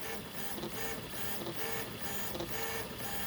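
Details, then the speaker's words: Easythreed K1 3D printer after upgrading the X and Y stepper motors to cure a clicking noise, printing the first layers of a coarse calibration cube: soft, smooth stepper whirring with short moves, quiet, no clicking; normal printing. "it uh seems to be printing it's quiet it's not clicking"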